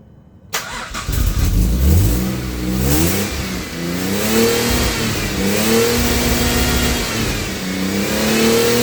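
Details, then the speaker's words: Cold AJ30 Jaguar / Ford Duratec V6 in a Gilburn Invader on ME360 ECU: starts and settles to a fairly steady idle with gentle pitch rises and dips; idle considerably better than before. "Well, I will say that idle is better. but considerably better. So, I think that's an improvement."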